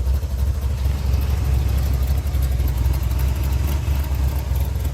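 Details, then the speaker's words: 1987 Chevy S10, 305 small-block V8, back from a test drive after a mechanical fuel pump replacement; no leaks, and a deep, steady rumble with even pulses holds idle without misses or knocks, so it runs normally. "No leaks, everything's good."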